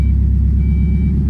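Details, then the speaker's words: Mazda Miata after water pump and timing belt replacement and retiming: engine catches into steady, even low idle, no misses or knocks; normal idle. "we got it in time finally. Zach's gonna put the intake on and then we're gonna start it. Oh, it started."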